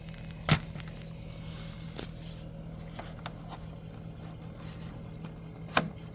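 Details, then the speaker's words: Samsung Zipel SRT686FVIS refrigerator, steady periodic low buzzing rattle from rear condenser/fan area; condenser mounting vibrating, wedging newspaper between condenser and base stops it, removing it returns noise: condenser mount vibration rattle. "결론적으로어요 응축기 응축기의 잘못이 아니라 축기를 고정하는 고정하는 부분이 고정하는 부분이 뭔가 잘못되어서 따 떨리는 소리가 하나습니다"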